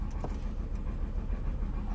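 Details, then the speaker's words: 2004 Chrysler PT Cruiser Limited, history of overheating, flashing check engine light, stalling, won't rev past about 3 RPM in park, plugs swapped and new plugs fitted: low, uneven, stumbling idle; misfire, cause unknown to owner. "you can hear how it's running now you tell it's got some kind of misfire but I just cannot plan it"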